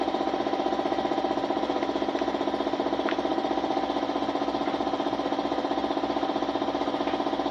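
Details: Suzuki Smash motorcycle, small single-cylinder idling with quick even putter about four beats a second and faint tapping over it; hard starting, misfiring (palyado), stalling, hiccuping, rough running.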